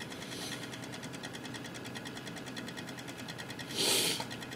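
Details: Cooler Master Real Power Pro 550W power supply: rapid, even ticking several times a second over faint hiss, brief louder rustle near end; cause not determined.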